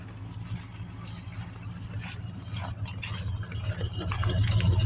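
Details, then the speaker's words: 1969 Ford Mustang Mach 1 V8, about 124,000 miles, winter cold start, choke on: steady low, evenly lumpy idle, no knocks or misses; normal cold idle on choke. "Look at that, it's gonna idle because I turned the choke on. It's a good running car."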